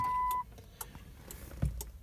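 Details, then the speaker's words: 1997 Jeep Grand Cherokee, door unlocked with key: short tone then sharp clicks from the alarm module behind the dash, horn silent; alarm activated and cuts the engine after start attempt. "you can hear clicking in the dash there's a module in behind the dash there and that's indicating that the alarm is activated"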